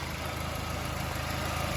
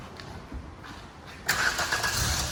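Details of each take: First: New-model Maruti WagonR after the misfiring engine was treated with a foaming liquid and the battery terminal retightened. A smooth, even idle with a steady low hum and no stumble. The misfire is gone and the engine idles normally. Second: New-model Maruti Wagon R with misfire, starting after throttle body cleaning and battery reconnection; starter cranks about three seconds before catching into a steady idle, delay from cleaner foam soaking in; misfire then gone.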